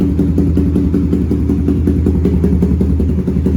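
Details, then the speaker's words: Suzuki GSX-R150 single-cylinder with Proliner exhaust and BRT Juken 5 ECU after mapping, starting on one button press without throttle: even, steady putter with no hunting or misses; stable normal idle, though exhaust smells of fuel, suggesting a rich mixture. "kita bisa dengarkan sendiri untuk putaran stasioner juga stabil di sini."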